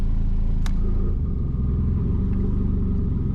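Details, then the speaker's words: Volvo 940 Turbo on standard Bosch LH4.2 management, first switch of a homemade three-stage anti-lag engaged: deep, uneven, lumpy idle with markedly different intake noise and exhaust note; anti-lag stage one altering the idle. "The idle changes a lot. There's a, well, you can hear, hopefully, but from here you can hear the intake noise goes very different, as does the exhaust note."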